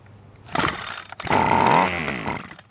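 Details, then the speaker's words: Ryobi two-stroke string trimmer stored for years with a broken primer bulb, air filter off, choke off, starting fluid sprayed into carburetor: catches, revs briefly in a rough burst and dies, pointing to carburetor/fuel delivery fault. "Then spray some starting fluid into the carburetor and make sure that the choke is in the off position."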